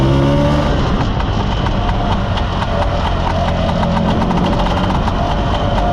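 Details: Mostly original Spanish Lambretta Jet 200 (Serveta) two-stroke on test ride after carb slide cutaway changed from 1.2 to 2.2; crisp, even beat holding steady with no stumbling or popping; mid-range spluttering cleared, runs silky smooth.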